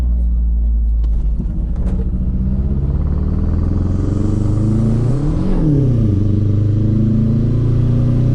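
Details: MazdaSpeed 3 turbo petrol accelerating from 5 to 65 through the gears with an uneven, stumbling beat from a misfire on cylinder 4.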